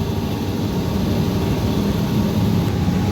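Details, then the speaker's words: Honda Beat Street, fuel pressure back to 40 psi (spec 40–50 psi): low steady engine hum with even tone, no stumble or surging. Normal running. "This motorbike is in running condition."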